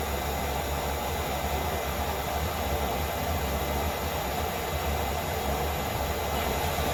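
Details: Heatsource/Propex LPG motorhome heater after cleaning and service: a steady, even roar of fan and burner with no clicking, surging or rattling. It runs normally, with outlet air over 100 degrees.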